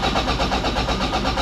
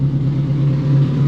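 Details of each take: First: 686 bhp time-attack Toyota MR2, not started for a while despite a battery charge, very small battery: steady rapid cranking that never catches, then winds down and drags; cranks but won't start, low battery. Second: 686 bhp time-attack Toyota MR2, running after battery recharge: deep, steady low drone with constant tone, no knocks or misses; normal running.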